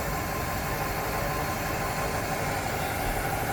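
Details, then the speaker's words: 475 Intrepid outboard, serviced after an earlier engine and low-oil-pressure problem, at start on the water: a steady, smooth idle purr with good oil pressure and no knocking or noises. The engine sounds normal. "halfway good pressure no knocking no noises she sounds like a yummy purring"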